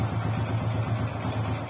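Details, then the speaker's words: Honda XRM125 single after rebuild with new piston, rings, pin, connecting rod, crankshaft bearings both sides and a spark plug fouled by oil: low, even idle putter, no grinding; runs well, slight ticking noted, tune-up planned. "Ayos mga bro. Okay, maganda na mga bro, no?"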